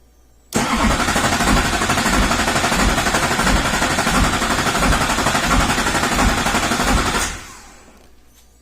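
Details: 2007 Chevy Silverado 2500HD 6.6 Duramax LMM, starter relay jumped with a booster battery and current graphed: steady cranking at about four pulses a second with a slightly uneven beat; a current spike on one compression stroke suggests a possible valve train problem.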